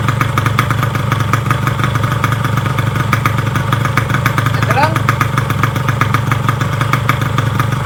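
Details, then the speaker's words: Yamaha RX King two-stroke, after a rebuild for a klotok knock with vibration: new connecting rod, piston and crankshaft bearings. Steady, even idle burble with a quick regular beat and no bottom-end knock; runs very smooth. "mereka bener-bener Pengin itu suaranya ya halus banget jos gandos halus halusnya"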